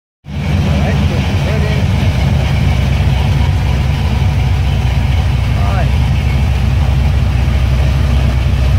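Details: 1978 Pontiac Trans Am 400 V8 (X7 block, 6X heads) started while setting ignition timing to 18 degrees at 700 rpm: deep, even burble with steady low pulse, no misses, knocks or ticks; healthy idle.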